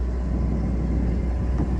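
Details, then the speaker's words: Newly installed Yanmar 4JH-4HTE diesel in an Amel Super Maramu sailboat, leaving haul-out for sea trials: steady, even low rumble with no knocks, misses or rattles, very smooth. Normal running. "It's very smooth. Yeah. Nice. Sounds really good."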